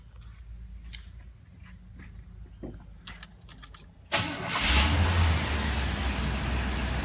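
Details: 1985 Chevrolet C10 after repairing the ignition wiring feeding power to the computer: quiet handling noises, then a sudden crank and clean catch into a strong, steady low rumble; normal engine start.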